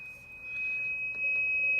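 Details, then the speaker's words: Drake TR4 receiver on 40 meters with a long wire antenna, RF tune being moved: thin steady high-pitched heterodyne whistle over faint hiss, gone when antenna removed; suspected antenna-related oscillation around a tube already replaced, unconfirmed. "if i go to 40 meters here and give it some volume you can hear the little heterodyne and if i move the rf tune here"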